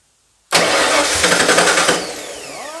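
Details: 1995 Ford F-150 with drivetrain swapped in from a 1996 V8 truck, transfer-case wiring harness found missing: starter spins the V8 with even cranking pulses for about 1.5 s, never fires, then whirs down; cranks but won't start, cause unknown.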